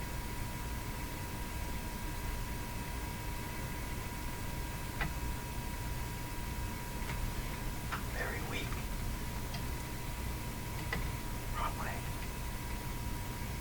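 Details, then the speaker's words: Addison 5A Courthouse tube radio, first power-up through a light bulb switch panel near 100 volts: steady hiss, buzz and thin whistle with only faint station fragments at full volume; very weak reception. "Buzz to me behind is some static which I think is receptive static so I'm going to touch the antenna here so it is receiving really weak"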